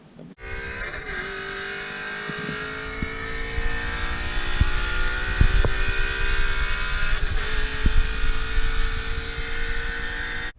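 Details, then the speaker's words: 60–130 km/h pull in 3rd gear (3.31 gear ratio) after fitting GT350 axles rated 800hp: strong engine pull with sharp metallic clanks; first heard on the right side, now down the middle. Owner suspects driveshaft rather than axles, unconfirmed. "Alright guys, so I did go back out and do a few pulls, 60 to 130, and the car is still clanking. I thought it was the axles because I would only hear it on my right side, but now I kind of hear it down the middle."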